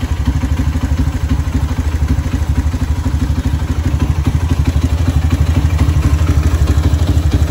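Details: Honda CB single-cylinder motorcycle after an engine teardown with a scored cylinder, re-honed cylinder and a new cam-chain tensioner bearing, PWK carburetor: even idle thump with no knocks or clatter, noise from the PWK slide only; engine healthy.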